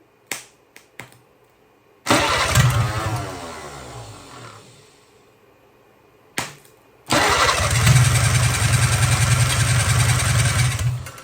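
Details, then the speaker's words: 1957 Hercules Power flathead four-cylinder with magneto, first start attempt on a possibly weak battery before fuel work: starter churns in short bursts, catches on starting fluid, fires unevenly a few seconds and fades; cranking and firing on spray. "We know she'll run. She's cranking over good."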